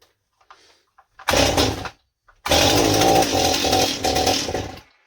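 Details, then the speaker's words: Stihl 028 Super chainsaw after impulse line replacement, starts but won't run: catches, runs rough and blubbery a few seconds then sags and dies; very rich, carb screws turned out too far, idle raised; fix planned reseating to 7/8–1 turn out. "Yeah, I can't even get it to run long enough to get anything. Okay, so... And it sounds like it's getting too much fuel. It doesn't sound like it's not enough."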